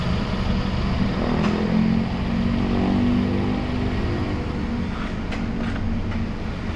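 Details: Mazda 3 that had a long-standing misfire despite a new spark plug, fuel filter and fuel pump, now fixed: engine holds an even steady hum through light revs with a calm exhaust and no skips, all cylinders firing; check engine light remains.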